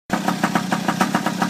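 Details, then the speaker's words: 49cc two-stroke pocket bike after replacing a clogged fuel valve: even popping idle at about seven beats a second with no misses or stumbles; idling cleanly. "So, this is my 49cc little pocket bike. I got it running right now."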